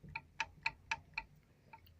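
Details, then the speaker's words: VW Beetle (Fusca) steering box, wheel rocked side to side: five sharp clicking knocks about four a second, then fading; clunk from the two worn rubber bushings in the original steering box. "começa a fazer esse barulho aqui eu vou balançar o volante pra vocês e seja pra lá iria pra cá esse barulho chato"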